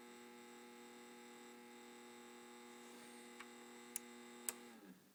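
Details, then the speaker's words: Sony TC-K590 cassette deck, capstan motor running whenever powered on: quiet but steady high whine with stacked even tones; noisy worn capstan motor needing replacement, compared with a healthy deck. "you can hear the racket that's making I would suggest that definitely needs replacing"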